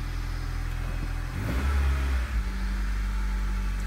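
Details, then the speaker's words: 2004 Honda Civic with check engine light and code P0303 (cylinder 3 misfire): rumbling, lumpy idle with a short rev blip; cause is a leaking head gasket, and the repair fixed all symptoms. "basically P0 303 p303 cylinder 3 misfire detected all right let's write it down three start it up for you doesn't sound good at all"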